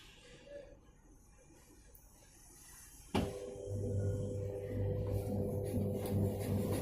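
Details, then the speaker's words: Whirlpool White Magic Pro XL 800S washer starting the spin program, drain motor on: quiet, then a steady hum with a fast rattle about three a second ("kat kat"); a loose bag inside vibrating. "जो आवाज आ रहा था वो इस थैली के वाइब्रेट की वजह से आवाज आ रहा था, तो इसको अभी हम चिपकाएंगे।"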